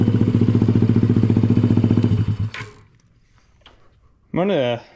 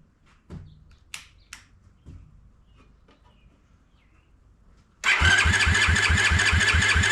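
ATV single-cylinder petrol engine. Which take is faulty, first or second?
second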